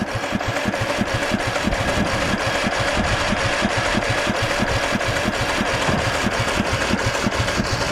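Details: 1998 MTD Yard Machines 15.5hp lawn tractor, starter just freed with penetrating oil, run from a weak jump pack: engine cranks in a steady beat about three pulses a second but never fires; spark and fuel unchecked.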